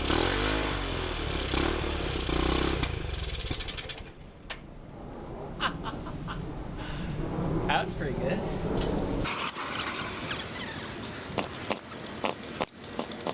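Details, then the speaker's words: 1971 Honda CT90 bought as a non-runner with low compression, kick-started on fresh gas: small single pops unevenly at first, then settles into a fairly steady running beat; normal running. "all right I am uh I'm tired of kicking that thing but man that sounds good so that sounded pretty good that was a lot of fun getting it running and listening to it"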